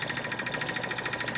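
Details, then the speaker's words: Wood lathe (10" x 18"), spinning a blank just under 7" x 4" on a faceplate: fast, even chirping about twelve per second over a faint thin squeal. Owner suspects the tailstock is squeaking; unconfirmed. "the uh tail stock I think it's making a squeaky noise this right here"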